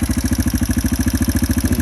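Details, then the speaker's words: 2005 Yamaha TTR230 single, muffler fitted, warming up at idle: steady thump with a faint light tick on each beat; owner thinks the rockers probably need readjusting; tick later disappeared after the fuel-air mixture screw was adjusted. "drain it's got a little bit of a tick still need to readjust those rockers probably"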